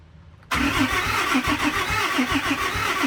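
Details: 2008 Dodge Ram 3500 6.7 Cummins diesel, cranked after priming the fuel pumps following a part install; steady cranking about three and a half turns per second with even compression pulses, never catches, owner unsure of self-bleeding.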